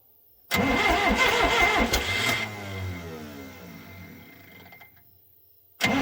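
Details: 440 skidder diesel after the owner rebuilt its injection pump himself: the starter churns in a couple of bursts and the revs fade each time without catching. Injectors were never bled, so air is likely; owner also suspects a backwards transfer-pump check valve or timing off 180°. Cranks but won't start.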